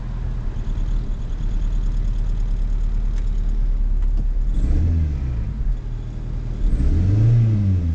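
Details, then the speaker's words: 1996 Toyota Corolla petrol, automatic, distributor ignition, idling: runs smooth about 3 seconds after start, then uneven stumbling beat as cylinder 1 misfire (P0301) sets in, getting rough; worse when put in Drive; hard misfire. "misfire cinder 1 these are throw on just getting a little rough"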